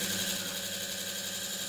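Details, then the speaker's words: Treadmill DC drive motor under test: steady high-pitched whine with faint wavering buzz; the armature shaft is off-center and rubs the stator, causing vibration, motor heating and IGBT heating on the drive board. "tha beagan fuaim air an fhuaim seo tha e a’ nochdadh gu bheil an rotor tha a’ chrann armature a’ suathadh ris t bidh an stator aige"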